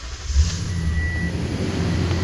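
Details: Toyota start-up after work on the secondary air pumps and valves (passenger wheel well, under intake manifold) over a P2447 code; engine fires and settles to a low even idle, no jet-like roar from the former leak, quiet.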